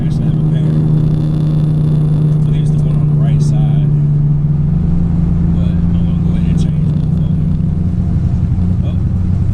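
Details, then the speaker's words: 2008 Ford Mustang GT driving before coil replacement, dealer reported 5 bad ignition coils: low V8 drone with an uneven, stumbling beat instead of a smooth hum; misfiring. "You can hear how this car sounds right now before I change these coil packs. I got a report from the dealer when I took it up there, said that it had 5 bad coils, so it had been misfiring."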